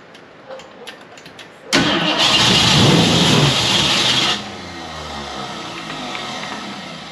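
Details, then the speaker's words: 1969 Ford Mustang Fastback, first start in 30 years, Mallory ignition distributor reconnected, fuel added to carburetor: loud ragged roar for a couple of seconds then dies; it runs but won't keep idling. "Well, it runs. I can't get this thing to pretty much."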